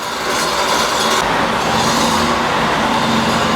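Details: Neglected VW Beetle 1600 dual-port air-cooled engine on the dyno after its missing ignition advance was fixed (about 32° total): a loud, even roar at high revs with no misses, pops or knocks, making 52.5 hp and 87 torque with oil pressure fine.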